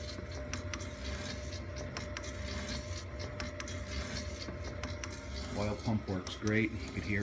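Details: 1962 South Bend 7-inch shaper, first run after motor refitted before restoration: quiet even run with soft regular stroke and light oil swishing, no knocks or grinding; healthy.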